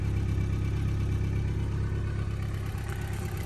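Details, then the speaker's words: 1974 Ford Courier pickup, 56,000 miles, original Hitachi carburetor: smooth, even idle at a steady low beat with no knocks or misses, running like a sewing machine though perhaps not perfectly tuned; normal idle. "probably not running perfect like I said these Hitachi carbs a lot of people replace them with a Weber runs like a little sewing machine"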